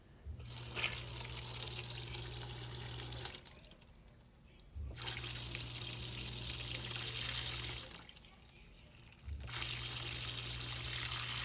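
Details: GE dishwasher that would not drain, now in drain mode with its tub full of water. The drain pump cycles on and off in three-second bursts with a steady low hum while water gushes out freely; it is pumping normally.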